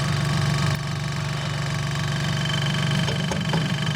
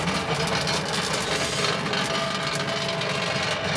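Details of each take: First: Compressor of a vintage Westinghouse fridge after rewiring and remounting on rubber washers. A steady low hum with an even pulse about four per second and no rattle or knocking; it is much quieter, cycles quickly and uses little power. Normal compressor run. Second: Vintage Westinghouse fridge, rewired and running and getting cold: loud, constant hum with a buzzing rattle riding on top; compressor shaking on worn mounting bushes.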